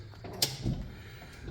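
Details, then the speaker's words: Club Car golf cart on first shop test after a battery system conversion, key on, forward selected: a crisp click then a soft clunk as the drive engages and the cart creaks forward smoothly without grinding. Normal engagement. "Oh, I hear it engaging."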